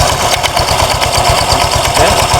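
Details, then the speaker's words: Honda Vario 125 scooter, rough at idle but smooth when revved, CVT cover removed: at idle a quick, steady rattling tak-tak knock rides over the engine beat from the front pulley roller housing; loose flywheel suspected wobbling, though not touching the crankcase. "Nah setelah terlepas bagian bak Septi di sini suaranya lebih jelas Pak ya lebih nyaring persis suaranya di bagian area ini pak di bagian area puli belakang eh puli depan maksudnya rumah rollerbel tuh tidak nempel"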